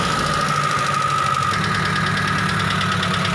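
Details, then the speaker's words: T120SS fuel-injected car after the dented oil pan was reshaped, freeing the oil pump pickup: even engine note while blipping the throttle, the flute-like whistle under throttle now gone; engine sounds normal. "sekarang suaranya sudah normal kembali tidak ada suara siulan seperti tadi"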